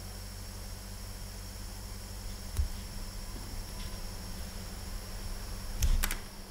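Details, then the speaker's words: Whine from a Delta Pentium III cooler fan run on 5 V, on an ASUS CUV4X-DLS dual Pentium III build; thin steady high-pitched whine over low hum, suspected premature bearing failure, not confirmed. "so there's a wine come from this one so I think this is a case of premature bearing failure on this one"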